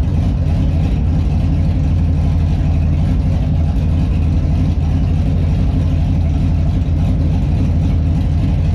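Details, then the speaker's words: Holden Monaro V8 at warm idle after an oil top-up, with the PCV and crankcase breather refitted: uneven, loping beat that stumbles and never settles, no change from the breather setup; rough warm idle, cause unknown. "all right top the oil up after running it it's still not idling when it's warm so i just put the pvc and crankcase breather setup back on just to see if that had a difference in it"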